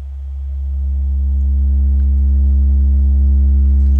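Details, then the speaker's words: Miller & Kreisel V-2B subwoofer after replacing the defective main filter capacitors, first power-up with back open on a 70 Hz test tone: steady pure tone with no hum or buzz; clean output, no distortion. "it sounds good no distortion at all at this point"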